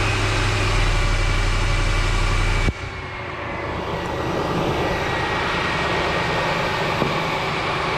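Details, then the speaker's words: 2003 Ford F-150 4.6L V8 after replacing a noisy idler pulley bearing, idling smooth and steady with no squeal, chirp or bearing growl from the belt drive; the pulley noise is gone, normal idle. "oh that noise is gone under the hood pulling noise is gone"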